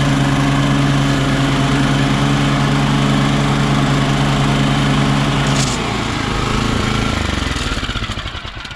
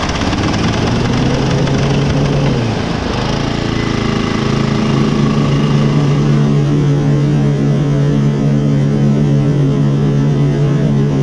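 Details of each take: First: Toro Turfmaster mower with blades engaged, after fitting a new stretchy rubber belt to fix a knocking noise: steady engine drone with smooth, even blade whir and no knocking, then the engine winds down; normal. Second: Toro Turfmaster mower running with blades engaged, cover off, uneven knocking underneath from a stretched deck drive belt with too much play; belt to be removed and replaced.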